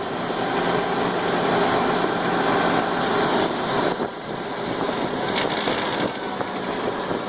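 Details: 1999/2000 Suzuki Grand Vitara engine running steadily with a fast, uneven rattle from the top of the engine that persists even after the gears were replaced; source still unknown. Top-end engine rattle.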